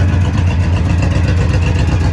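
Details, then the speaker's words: Cutlass with carburetor not yet dialed in, idling outside: loud idle with rapid puffing, chuffing pulse on each firing stroke; bad exhaust leak on one side, replacement exhaust part ordered, not yet fitted. "and I got a bad exhaust leap over here I ordered exhaust dut for it it still hadn't showed up yet or get that replaced when it does"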